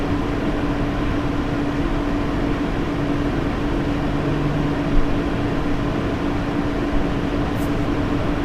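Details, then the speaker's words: Lian Li 217 Infinity PC case, stock Lian Li fans at 100%: steady air rush with constant whining "e e e" tone throughout; owner blames stock fan setup resonance, near silent at 500 RPM. "The sound you need to be attention is a high-pitched sound, and it's something like e e e."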